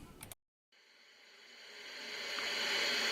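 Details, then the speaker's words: IFR 1200 service monitor tuned to local FM station 98.9: a dropout, then steady hiss swelling louder with no clean station audio; poor reception traced to an AGC fault on the IF board. "I'm on a local station, FM station 98.9. And uh it's on the scope, but just horribly."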